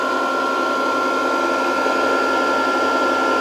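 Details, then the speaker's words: Variable frequency drive with long-idle capacitors being slowly reformed, supply raised to about 100 volts: cooling fan comes on, steady even whir with thin constant high whine, no ticking or rubbing; normal. "This should be doing something. Oh, it just the fan came on"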